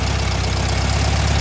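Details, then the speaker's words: Warm VW Thing air-cooled four-cylinder during a tune-up after setting dwell and the distributor: fast, even pulsing that stays well above a normal warm idle with no dips. An overly tight throttle cable holds the throttle open, so the cable is disconnected. "sound pretty good here yeah the idle is really high right now because"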